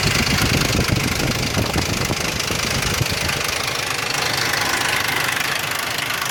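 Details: 2001 Ford Explorer Sport 4.0 SOHC V6 at idle: loud, fast metallic rattle, about three to four a second, with low compression on all 3 right-hand cylinders. Owner suspects the rear-mounted RH timing chain or cam sprocket, unconfirmed.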